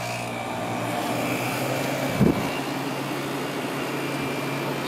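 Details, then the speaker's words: Fedders 10,000 BTU air conditioner, thermostat turned past coldest setting (bypass): steady even hum with low drone under fan rush, no knocks; compressor starts and runs normally. "there you go. This one has a a thermostat bypass, which I think is very interesting because, like I said, none of the other ones do."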